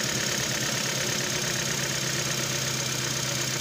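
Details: Nissan Versa with code P0304 and power loss on acceleration, at idle: uneven lumpy beat with about two irregular stumbles a second; cylinder 4 misfire, cause (coil or spark plug) still undetermined.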